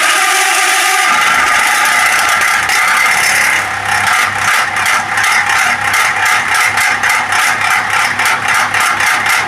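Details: Exhaust fan with dry motor shaft bushings: loud rattling scrape settling into a fast, uneven ticking about three per second while spinning.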